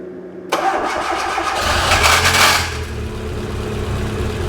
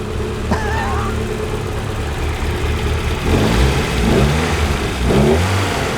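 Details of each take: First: Fiat Uno Turbo: engine fires and catches but a high metallic whirr rides over it for about two seconds before fading; starter motor not retracting, engine itself smooth. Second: Fiat Uno Turbo: steady petrol idle rising into a few smooth, clean revs with no knocks or rattles; engine sounds smooth but coolant bubbling over, overheating—suspected fan switch, airlock, or possibly head gasket.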